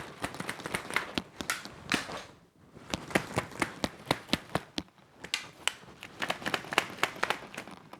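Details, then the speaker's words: LED tube light shaken: sharp irregular clacks and rattles in bursts as the internal unit slides back and forth inches inside; unit to be exchanged. "yeah this light rattles like crazy it almost seems like the internal unit is moving back and forth at least a few inches"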